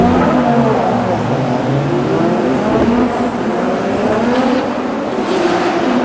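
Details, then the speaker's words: Drift car on track, nitrous off: engine screams near the top, pitch wavering and stalling as if on a false limiter at about 6200 RPM; high-rpm misfire like a coil pack issue, caused by a cracked spark plug porcelain insulator. "the team found that the porcelain on the spark plug was actually cracked. So, what's happening was once I was up in the higher RPM, it was like I had a coil pack issue."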